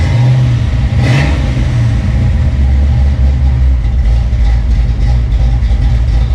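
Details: Fox-body Mustang V8 just fitted with 170cc SVE aluminum heads and roller rockers, running on open headers with no coolant in the system yet: steady low rumble that takes a quick blip cleanly, no misses or knocks, normal running.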